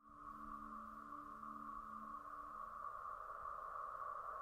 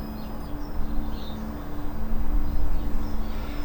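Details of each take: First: Polestar 2 electric car AVAS pedestrian warning sound, official reference clip of forward and reverse: steady sonar-like hum around 1 kHz slowly swelling, with lower pulsing tones at first; normal sound as designed. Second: Polestar 2 (UK) stationary, with the Acoustic Vehicle Alerting System supposedly enabled; only a faint, steady low two-tone hum under birds and outdoor noise, not matching the expected sound. Very faint pedestrian warning sound.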